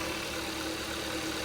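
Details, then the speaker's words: Kia Rio (2012–2017) 1.6L freshly installed engine, idling just after first start while oil pumps through the actuators: smooth, even idle, steady low hum, no knocks, misses or hunting; runs okay. "The oil has to pump through all the actuators and everything, so it may run a little rough until everything settles down. And this one is okay."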